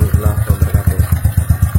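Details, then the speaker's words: Carbureted motorcycle after repairing the leaking intake manifold, idle screw setting unchanged: low, even thumps about eight a second, holding a steady idle with no hunting; idle back to normal. "Teman-teman, mesinnya sudah menyala, sudah normal kembali. Langsungnya juga normal."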